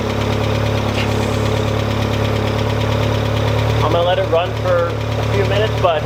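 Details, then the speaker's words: Automatic Mk2 VW Jetta, first run in roughly 1.5–2 years after starter replacement, oil unchecked and possibly low. Rough, loud race-car-like idle with a light, irregular ticking at the front of the engine. "she's alive now i will say she is a little ticky in the front but i don't know the last time this car actually ran"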